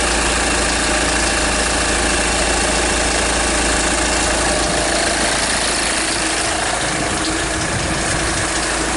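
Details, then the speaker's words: 2010 Kia Sorento 2.2 diesel after injector replacement for intermittent hard/crank-no-start and misfire: loud harsh clatter around three knocks a second over rough idle, like things breaking up; source of the knocking unconfirmed. "a lot of noise coming from this vehicle it's really loud I'm not sure exactly what the noise is about sound like things just like breaking up"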